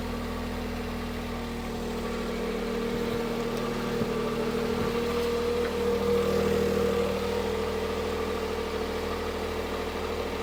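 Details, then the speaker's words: Smart 451 petrol bought non-running from Copart, just started after fitting a spare starter motor, run about 30 seconds: steady even idle, smooth low hum, no misses, knocks or rattles; sounds normal. "I'm happy. Can you tell I'm happy? it actually sounds alright. So I won't leave it running too long"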